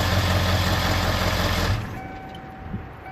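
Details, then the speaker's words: 1997 Ford F-250 Super Duty 7.3L turbo diesel, just after an AMSOIL engine flush and oil change: steady diesel idle clatter cuts off cleanly and spins down quickly without knocking, rattles or run-on. Normal diesel shutdown. "And let's turn her off. Let's see what she sounds like when she turns off."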